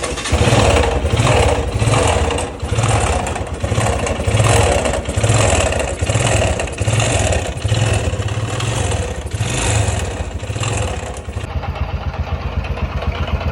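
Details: Yes 125 motorcycle idling with a rough pulsing beat about once a second, swelling and fading; abnormal engine noise, source not identified.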